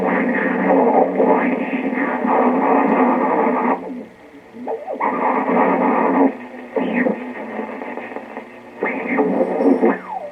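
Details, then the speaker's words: 1925 RCA Radiola 20 tube radio under repair: steady low hum and swooping howls as microphonic tubes vibrate from the radio base, resonating the cabinet and causing feedback oscillation. "hear that hum that's the vibration of the tubes it's called microphonics the vibrating of the tubes from the base of the radio is causing the cabinet to resonate and it makes the tubes vibrate"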